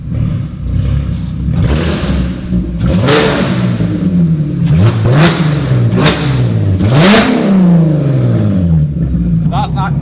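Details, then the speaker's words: VW Caddy van swapped from its diesel to a 3.2-litre VR6 from an Audi A3, first run: very loud, crisp revs rise and fall cleanly with no misses or knocks; the engine revs freely and runs healthy. "Is that louder than the Fusion? I think it is. I think it is. But on the on idle, it is it's like it sounds like a like a high fuel dragster, doesn't it?"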